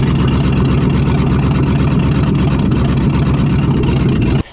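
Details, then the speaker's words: 1959 AMC Rambler Ambassador V8, sat since 1982, just revived: a deep, loud, uneven unmuffled rumble at idle after the dual exhaust fell off, though it runs good; loud idle from missing exhaust. "looks like we got a runner boy the dual exhaust fell off but look at all this rat stuff that fell out and earlier i had my wife check the to make sure it wasn't plugged runs good though"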